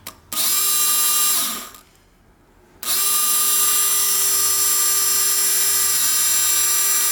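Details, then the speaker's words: 1987 Porsche 944 S 16v, fuel pump test powered directly: an even high whine that winds down when shut off and restarts at the same pitch. It sounds all right but may be weak; a badly kinked fuel hose was also found. "kind of up and down it sounds all right but it could be a little weak and also could have been the kink in that we'll change it anyways but uh found a pretty good kink in that hose"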